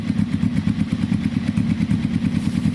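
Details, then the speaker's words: Kawasaki carburetted cafe racer with an open exhaust: loud pulsing idle, slightly spluttery and uneven at the bottom end. Idle is hard to set between too high and too low. Owner suspects it needs slight upjetting, carb balancing and a high-flow filter. "But the carbs seem fine. It's just a tiny bit spluttery."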